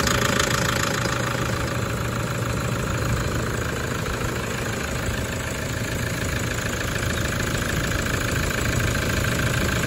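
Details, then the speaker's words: Toyota 1KD-FTV D4D diesel, injectors done the day before, fine on a 20 km road test, then rattle started: idling with an uneven loose knock over the clatter, cycling about 10 seconds on/off from cold start; owner suspects water, later fixed itself. "okay just for the record it was doing that at idle we did the injectors on this yesterday it ran fine on the road test at ran find a drive 20ks and it started that rattle yesterday afternoon"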